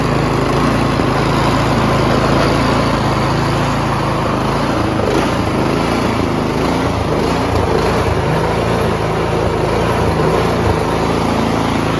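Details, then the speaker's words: Troy-Bilt Storm 2410 snowblower, MTD Powermore Chinese engine, after quick carburetor cleaning, full throttle no load, worse when first started: steady then pitch wanders up and down about every 3 seconds; surging persists, lean main jet suspected. "so it runs smooth for like 3 seconds and then it'll go to surging for 3 seconds and smooth surge a little bit but these tooy buils with the Chinese power Moes they do that"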